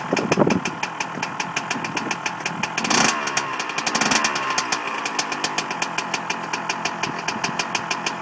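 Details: Two-stroke engine on its first kick-start after a rebuild: crisp, fast, even popping settling into a steady idle with no knocks or misses; running healthy.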